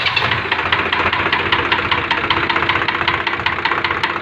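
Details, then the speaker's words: Swaraj 735 tractor diesel idling after overheating and seizing from lack of coolant: hard metallic knock about two to three times a second; number two piston expected to be seized; piston scuffing knock. "है तो आपने उसकी आवाज सुनी इसका यह जो number piston है इस चीज निकलेगा"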